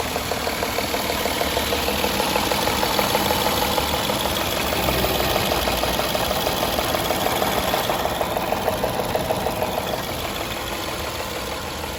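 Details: 2014 Jaguar XJL Portfolio petrol engine idling with a steady, light ticking riding over the hum, about three ticks a second.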